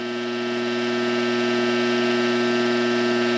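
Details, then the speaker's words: Coleman Presidential II mobile-home furnace blower motor bench-run on a cord after reassembly and greasing the bearings with synthetic grease: a steady whirring hum with a fast throb of about four pulses a second. It sounds rough and unhealthy. There is lots of slack, and the owner suspects worn bushings. "Just plug it in and see if it'll work. It doesn't sound real good. Doesn't sound good at all."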